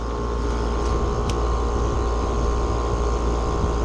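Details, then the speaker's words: Heil heat pump outdoor unit after replacing the failed-bearing condenser fan motor with OEM warranty motor: steady even low whoosh and faint hum, no grinding or squeal; draws 1.11 A against 1.4 A rated full load. "And now just to confirm operation. There we go. Sounds happy."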